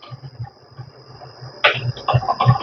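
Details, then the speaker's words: BMW X1 suspension: soft thumps becoming sharp knocks and creaks from the worn front control arm bushing (rear bushing recently replaced); noise nearly disappears when the bushing is shimmed. "mas o barulho está aqui ó na bucha da frente olha aqui ó vou vou calçar ela e vai diminuir o barulho tá"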